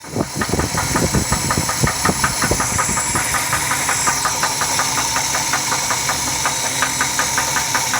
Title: Ford L6 250 Engine Knock